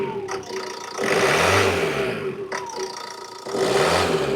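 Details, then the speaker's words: 2012 Ford Transit Connect, fuel pump/accessory belt removed, alternator casing found split (likely loading its bearings): engine revved with two clean blips rising and falling smoothly, no whine, chirp or rumble; engine itself quiet and normal. "give it a big start Benjamin this how quiet that engine is give it a REV"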